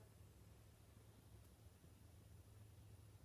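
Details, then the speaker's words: Buried water hydrant valve heard through the barn spigot: faint, steady low hiss and rush of water leaking into the ground, about 360 gallons a day. Rebuild parts ordered. "That's what 360 gallons a day sounds like. This thing's leaking. And it's leaking out in the ground."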